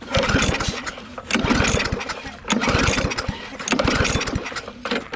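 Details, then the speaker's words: Different trash-found push mower, choked and sprayed with starting fluid: rough pull-start bursts about once a second, sputtering but never catching; plug later found fouled with gas and starting fluid, with weak yellow spark; flooding suspected, plug type uncertain. "all right we pulled the plug out and the plug was completely like fouled with gas and starting fluid so we cleaned it off it does not have a very good spark it's got a very yellow spark"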